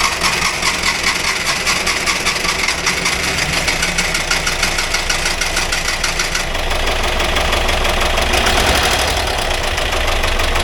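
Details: 1982 VW Vanagon Westfalia air-cooled engine after restoration and fixing starting and fuel problems, idle adjusted, not yet warmed up: even idle that picks up slightly and holds steady, no knocks or misfires; normal idle, charging 14 volts.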